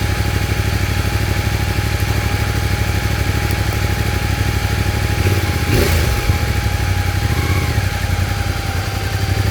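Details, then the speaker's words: CFMOTO Ibex 450 single-cylinder after an ECU tune, previously surging and jerky between 3500 and 5500 rpm: steady-revs cruise with no surging or hunting under road and wind noise; noticeably smoother fuelling. "Well, that's definitely a lot smoother. Hold it steady in the bike."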